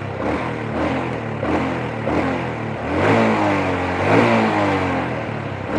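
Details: Supra motorcycle brought in for weak power and a top speed stuck at 100 km/h: a steady mid-pitched engine hum rising and falling gently with throttle, no knocking, a slightly raspy exhaust; engine running normally, though an exhaust leak is noted.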